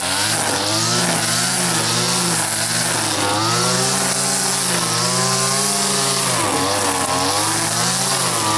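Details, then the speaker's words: Stihl FS80 two-stroke trimmer after a carburetor rebuild and ultrasonic cleaning, under cutting load. The buzz is high and steady, with pitch dipping and recovering cleanly; runs fine before the low-speed screw adjustment. "Doesn't seem bad, but I tell you, I still like my 4MX machine better than these old two-stroke ones."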